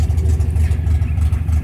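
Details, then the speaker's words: 1972 MGB with twin SU HIF44 carburetors, idling after an oil change and idle-screw adjustment: low, lumpy, wavering idle with uneven beats, feels ready to die; idle set too low, carbs about to be balanced. "Yeah, I got to have it idling smoother than this. It just feels like it's ready to die."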